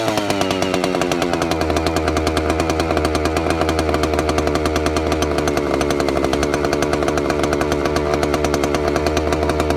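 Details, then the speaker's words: Vintage Stihl 041 Super saw, a little over 70 cc, aftermarket piston with Caber rings, started cold; steady high-revving buzz with even firing, no misfire, surging or bogging, runs strong and clean: normal running. "So this one's cold. I'll fire it up and let you listen to it, let you hear it run. They're awesome sounding saws."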